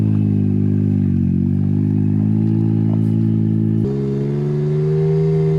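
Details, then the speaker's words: Can-Am Maverick X3 Turbo RR after ground-up rebuild following an accident, first test drive: very loud, deep raw drone stepping up in pitch under throttle, because the exhaust had not been put back on. "She's not thrilled because I didn't put the exhaust on before we went for a little test drive, and she said it was too loud."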